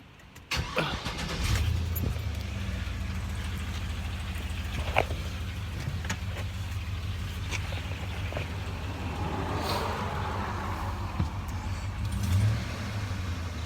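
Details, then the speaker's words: 2005 GMC Sierra HD 6.0 V8 after installing a repair bracket for a rear driver's-side exhaust manifold leak: cranks, catches quickly and settles into an even idle with no ticking or puffing; normal start and idle. "I wished I would have made a video before I installed it so you could tell them you could hear the difference I made a whole lot of difference"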